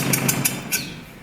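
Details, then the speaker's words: Mitsubishi L200 K74 pickup stored 15 years, revived: idle fine, but revving brings three or four sharp rattling bursts that fade as revs drop; cause never found, never recurred, apparently temporary; abnormal engine noise when revving. "à ce jour j'ai toujours pas compris d'où venait ce bruit ça ne l'a jamais refait si vous avez une idée dites-le en commentaire mais bon a priori c'était que temporaire"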